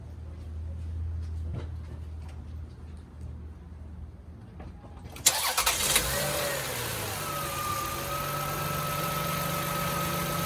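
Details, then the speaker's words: 1999 Toyota Sienna after belt adjustment: cranks, catches and settles into a steady even idle with no belt squeal, only light injector ticking; belts running smooth and quiet, previously squealed. "And that is how it should sound. This thing squealed quite a bit when I first got it. The belts are smooth, real quiet."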